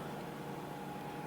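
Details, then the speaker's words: IBM PS/2 Model 80 at power-on after months in storage: only a steady fan hiss with a faint whistle, no spin-up whine or head clicks; hard drive not spinning, possibly stiction or a loose cable. "uhoh I only hear the fans going that's not good honest guys this is a this is actually raw footage I'm not uh I didn't plan this but my hard drive isn't spinning"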